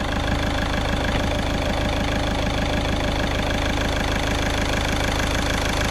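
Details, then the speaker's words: VW Caddy diesel at idle after injector removal and repair: steady idle with even clatter at about two beats per second, no misses or rough spots; running lovely. "As you can see, it's running lovely."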